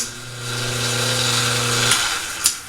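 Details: Sand Dollar two-speed pool pump after bad capacitor replaced, cover refitted, run at low speed: steady low hum with an even tone for a couple of seconds before spinning down; motor runs smoothly.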